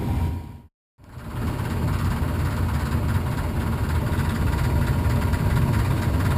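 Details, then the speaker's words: Furnace blower before cleaning a dirty squirrel cage: deep steady rumble with a loose uneven rattle from imbalance in the dirty squirrel cage. "the sound after completion of our maintenance so it was a dirty squirrel cage amazing"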